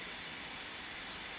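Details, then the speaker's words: 1964 Wards Airline 11-transistor AM/FM portable radio, found half-disassembled, first power-on for diagnosis: flat steady hiss on both AM and FM, no station; hiss with no reception. "well what do we have here we have hiss on both AM and FM and"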